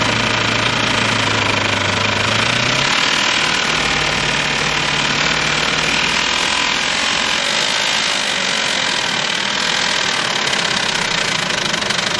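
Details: 2006 Ford F-150, 198,000 miles, oil-starved engine, restarted after water was cranked out with plugs removed: rough, uneven idle with heavy knock once it catches; bent connecting rod rod knock.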